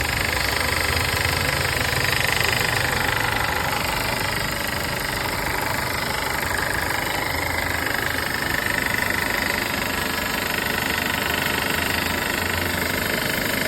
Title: W204 M271 rattling noise